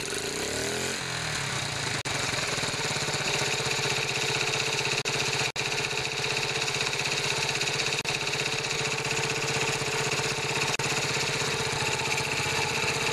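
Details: Older Honda Z50 minibike, missing seat, burns some oil: small single runs fast and steady with a raspy, hissy exhaust note, consistent with the patched muffler not sealing properly.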